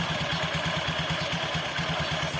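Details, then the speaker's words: Scooter CVT after fixing wrongly fitted pulley parts and longer belt: even steady idle near nine beats a second, earlier jingling and knocking gone; normal. "udah hilang kan bunyi krinching-krinchingnya nah udah aman"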